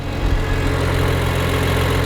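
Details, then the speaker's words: BMW with high-revving six-cylinder, racing suspension and loud exhaust, cold 28°F day: steady, even low rumble with smooth unbroken beat, no misses or flat spots; running cleanly, check engine light gone. "this is one high Revan 6cylinder engine look at that baby go"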